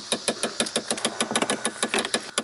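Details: Rapid, sharp dry clicks, about six a second, from the passenger-side dash behind the glove box on a 2015 Impala Limited: the HVAC blend door actuator's gears are worn; the actuator needs replacing.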